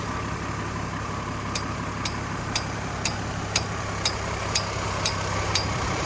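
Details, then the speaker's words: 2003 Chevy Trailblazer LTZ with sharp, steady ticks about twice a second at low idle, said to be the fan clutch. Still ticking after fan clutch replacement; owner believes the PCM needs reprogramming. "he laughed at me and said no you don't have to do that you just replace the fan clutch which I did it's still ticking I'll let you hear it"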